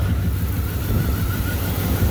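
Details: 1998 Dodge Durango single-cam V8 at first start-up after timing chain replacement, which was done for a P0300 multiple-cylinder misfire code. The idle is a low, smooth, even rumble with no miss or chain slap, and sounds healthy.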